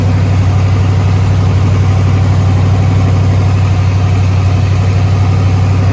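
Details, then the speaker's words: Twin-turbo small-block Chevy 350 rat rod, oil pressure held, randomly started with a loud heavy idle and a steady thudding knock about four per second under the exhaust; owner suspects a valve hitting something or something from header welding dropped inside, unconfirmed. "it just it sounded like something was bouncing off the back of something sounds like a valve hitting something or on knocker i don't know"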